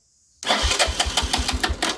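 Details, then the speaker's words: 1983 Honda 200E three-wheeler with newly installed battery, cranking before fuel added: brisk, even cranking about six compression pulses a second, no grinding or drag; battery and starter working well. "Oh yeah. The battery and starter's working good."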